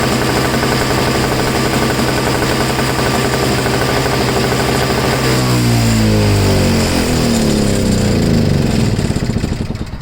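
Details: MTD two-stroke snow blower that sat 10 months and wouldn't start until refuelled with 2-stroke mix. Engine buzzes steadily, revs dip and pick back up cleanly near the end; runs normally with no misfire.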